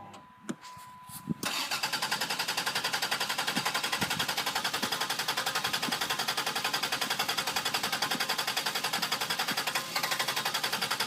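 Steady starter cranking at roughly 220 beats a minute for about ten seconds, and the engine never fires: cranks but won't start.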